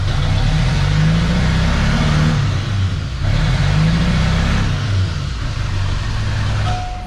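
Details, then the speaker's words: Chevrolet LB7 Duramax diesel truck, hard starting, pedal floored: rough, uneven rumble that swells slowly, laggy with a pronounced misfire from an injector issue; fixed by repairing a plug. "as y'all can tell, pretty stinking laggy, and we've definitely got an injector issue."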